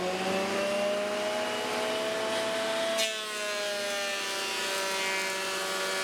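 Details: Dust collector running with a 3D-printed industrial fan, sucking MDF sawdust and small wood chips after the bin was swapped for a bag; steady even whine with a brief debris rush; looks, sounds and performs well, normal running.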